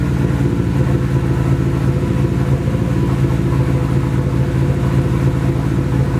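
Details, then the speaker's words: Nissan 240 with a newly installed SR20, at its first start. It runs through an open downpipe on the original old gas. It has a low, rough idle with an uneven, stumbling pulse. Misfire; owner suspects bad gas, but the cause is unconfirmed. "she runs and sounds like I miss fires yeah definitely misfires it could be a number of things could be bad gas"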